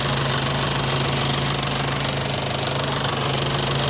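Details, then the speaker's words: Morris Minor on a cold choked start after corrected-heat-range plugs and a reverse-polarity coil fix: fast even ticking about four a second over the idle; loud fuel pump, which later went quieter. "Oh, that fuel pump's loud. So, choke, start it. Oh, look at that, first try."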